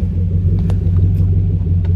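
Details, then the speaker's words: Chevy Camaro after a misfire with codes P0174, P0202, P0302 and a Service StabiliTrak message: deep, steady rumble with an even beat as throttle is eased on, no skips; message now off, no more misfire. "no that sounds good see the difference in sound watch i'm gonna just ease into the gas that is steady no more misfire"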